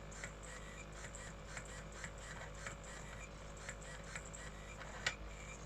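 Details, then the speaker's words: Apple iBook G4 12-inch, optical drive reading a CD: soft regular ticks about twice a second over a faint whir, one louder click; drive seems stuck and retrying, owner suspects it is about to fail and needs replacing. "it might be time to replace that optical drive sounds like it's about to give up"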